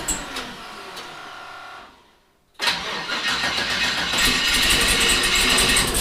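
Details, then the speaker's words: 1974 Chevrolet Nova, twin-turbo 5.3 L33 LS swap, four injectors unplugged during misfire test: cranks nearly two seconds, pauses, catches with harsh lumpy running on four cylinders; hard start; owner suspects bad, dirty or plugged injectors. "it usually starts pretty easy and it's obviously not starting very easy which is because it's trying to start on four cylinders"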